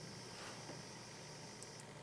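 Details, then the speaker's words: Computer ATX power supply with a whistling standby circuit: a thin, steady high-pitched whistle over a low hiss that carries into the main transformer once the supply starts and grows louder under 12 V load; bad capacitors suspected. Transformer coil whine. "И причём, смотрите, когда запускаем блок питания, слышите списк какой в большом трансформаторе. То есть почему-то с этой дежурки ещё и в большой передаётся транс."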